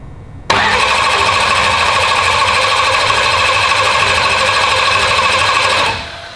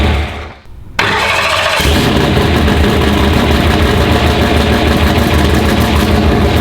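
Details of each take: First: Turbo race car's start after cranking to build oil pressure, checked for fuel and oil pressure: it catches on the first crank and settles into a loud, steady, even run with no knocks or misses; normal start and idle. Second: Race car being readied for the track: it catches and settles into a lumpy, uneven lope with a stumble every few beats; a misfire from a dead cylinder. Injector, coil, plug wire and spark plug were already checked; cylinders 4 and 7 are suspected and the cause is unknown.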